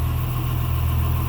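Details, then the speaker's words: 1954 Chevy farm truck idling with the PTO engaged, running the hydraulic dump bed: a faint constant whine from the hydraulic pump above the steady idle; owner suspects it is a little low on fluid, though the bed works fine. "little low on fluid maybe, it's got a little whine to it, but it works perfect."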